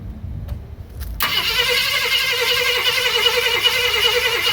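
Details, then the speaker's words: 1965 Ford Thunderbird under rebuild, start attempt with no fuel yet up to the pump: steady starter churning, no catch or firing; cranks but won't start. "Don't expect that this is going to rip right off first first pull because there's no fuel in it. I got to get fuel up to the pump."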